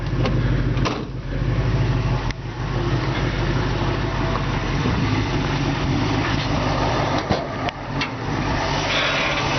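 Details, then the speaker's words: 1966 Ford Mustang convertible, C-code 289 V8, 57,000 original miles, rebuilt about 5,000 miles ago, pointless electronic ignition; steady low burble at idle with even firing, no knocks or ticks; healthy engine. "This engine was rebuilt about 5,000 miles ago. Fires right up."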